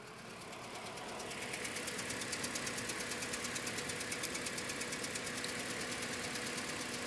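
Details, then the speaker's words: Toyota Scion with misfire after many parts replaced: uneven, lumpy idle with a fast ticking pulse about three a second; compression test shows cylinder 3 at 50 psi versus 125 psi on cylinder 2, a misfire from low compression. "I've got 50 psi on compression on cylinder 3 125 on cylinder 2 that's where our misfire is at"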